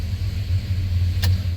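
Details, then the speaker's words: Truck just after DOD delete and tune: deep steady exhaust rumble at idle with an uneven, lumpy beat, serious passenger-side misfires; MSD coils suspected; engine misfire. "Just finished up the tune. Justin knocked it out, and truck has some serious misfires on the passenger side."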